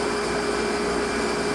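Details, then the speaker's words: Pump motor after cleaning a poor fuse connection: smooth, even motor hum with steady mid-pitch tone, no surging or water-hammer; runs better than before. "Well, she's going. And actually, that sounds a little better."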